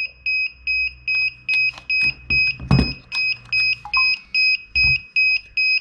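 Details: DJI Mavic Air remote controller at power-on: steady double-pitched beeps about two and a half per second repeating; not a fault, the controller is calling for calibration, cleared via Remote Controller Calibration in the DJI Go4 app.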